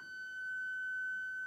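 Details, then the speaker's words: Electric Eel Wheel 5 spinning wheel turned to very low speed and held in place gives a steady piercing high-pitched beeping tone instead of near silence, a defect. "it's got this high-pitched noise I hope it comes through on the speaker but basically there's this this beeping note this noise that comes out of it that is not correct that that is definitely a defect in the eel wheel"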